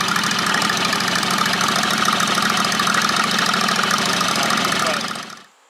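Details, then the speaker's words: JD214 mud mower with Predator 670 V-twin, rebuilt muffler with new rivets that later melted; loud raspy uneven stumbling beat breaking up at mid throttle; owner suspects lean mixture, plans to richen needle a notch or two. "I think it's running lean I'm gonna take the needle and emulsion tube and move the needle and enriching the mixture on the needle a little maybe a notch or two because it breaks up at M"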